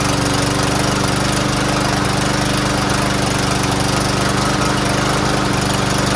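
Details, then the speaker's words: Troy-Bilt TB110 push mower, first start after carburetor cleaned and drilled out: runs with uneven stumbling beat; owner blames bad gas, probably not run in a while; rough running. "not bad not the greatest but it's the ass gas in there got to clear it up you know probably hasn't been running a while let the valve move around a little bit"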